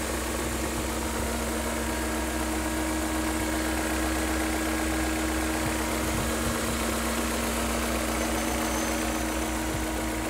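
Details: BMW E39 M5 V8 after oil change, oil separators and upper hoses (for black exhaust smoke): steady idle with light even valvetrain rattle over a constant hum, no building knock; judged its normal sound.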